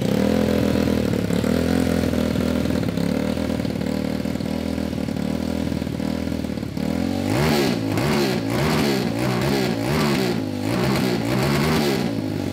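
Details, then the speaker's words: Homemade 190cc single-cylinder go-kart after rewiring and carb needle lowered (leaned out): revs hard, then the note chops in and out in quick stutters at the top, two-stepping around 7000 rpm; suspected carb/fueling issue. "it's two stepping at like 7000 RPM now yeah yeah so I think that that could be a carb"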